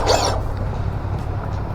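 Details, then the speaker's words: DF03 RC buggy bench run after fitting ceramic wheel bearings and reinstalling the pinion gear: steady low electric hum, no grinding or clicking; drivetrain spins smoothly, described as a little tight but fine; normal running. "that sounds so nice [Music] it's a little tight but that's okay"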